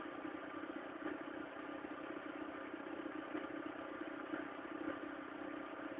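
A cold engine at idle with a light, uneven clatter over a steady hum; the source of the noise can't be pinned down.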